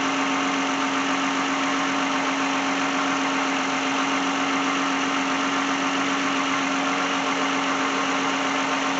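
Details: 2010 Lexus brought in for a no-start, with the customer asking for an alternator replacement. Engine idles steadily with a constant low hum, no knocks or misses. Alternator is charging at 13.9 V at the battery, just under 14 V.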